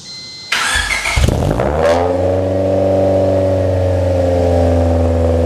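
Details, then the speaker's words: Honda Civic after fixing a vacuum leak by refitting original gaskets: starter cranks, engine catches and revs, then settles into a wavering low idle with an uneven beat; still idling badly, owner suspects the idle air control valve. "I had a vacuum leak before. I put back the original gaskets, tighten it up, and it went down, but still got this bad idle."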